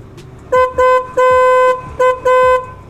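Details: 12V snail horn just fitted on a Yamaha MX King: five sharp short and long honks, each a steady clear tone with no wavering, strong on battery power; normal horn operation.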